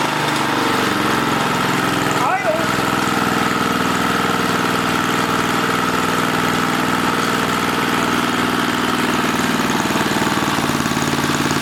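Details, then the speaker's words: 1980 rototiller, small single-cylinder engine: runs flat-out with a high steady buzz that never settles; overspeeding because the governor spring is wrong. "all right so we don't have the right governor spring and we need to fix that"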